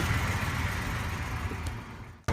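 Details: 2006 Dodge Durango 4.7 L 4WD right after Power Control Module replacement: even, low engine rumble with no misses, knocks or ticking; smooth healthy idle.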